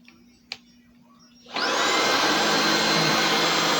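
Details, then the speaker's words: Bissell ICONPet Turbo vacuum switched on: loud, steady high whine holding even pitch; owner says it isn't quiet but cleans well; motor running normally. "It isn't quiet. It is a little loud, but I love that it has a light."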